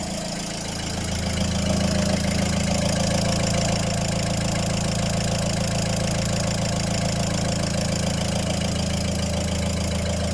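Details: Volvo diesel after replacing all four injectors with used ones due to heavy clatter: settles into steady even clatter, regular rhythm, no misfire, much quieter than before; normal idle after repair.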